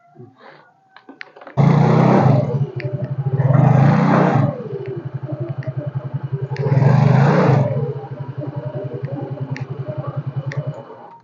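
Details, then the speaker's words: Yamaha X-Ride scooter after repair for heavy, sluggish pull: starts and revs cleanly in three smooth blips, returning to steady idle each time without wanting to move; CVT now operating normally. "Oke jadi ini sepertinya udah mulai normal ya [Musik] jadi ini pun kita gas sudah Ndak ini ya ndak keburu jalan"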